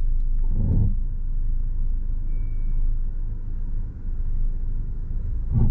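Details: Mercedes heard from inside the cabin, creeping with the steering at full left lock after hitting a deep pothole at night; low rumble with scraping thumps per wheel turn, from a bent wheel rim rubbing on the tie rod end.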